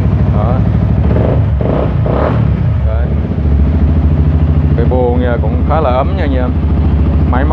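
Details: Used TFX motorcycle, 2017: low steady idle with even firing, no knocks or rattles, under background voices; engine sounds healthy and quiet.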